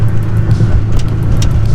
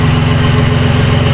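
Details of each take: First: Nissan 300ZX turbo convertible (~200 hp) on a test drive with no exhaust fitted: a deep booming roar swells hard as revs climb under load, and the turbo is heard winding down. Very loud and raw because there is no exhaust. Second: Nissan 300ZX turbo, first start after a new timing belt, water pump, thermostat, belts, plugs, wires and battery and a fixed boost leak: steady, even low thrum with a smooth regular pulse and no knocks or misses. A clean, healthy idle.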